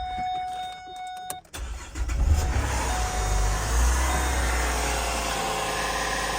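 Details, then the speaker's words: Abandoned Pontiac, probably early-2000s, left sitting in a field, first start on a jumped battery with fresh gas added: it catches after a quiet pause and settles into a steady, even idle with a smooth low rumble and no misfire. Normal start and idle. "running it's running no way dude this thing purrs there's not even a misfire that is crazy"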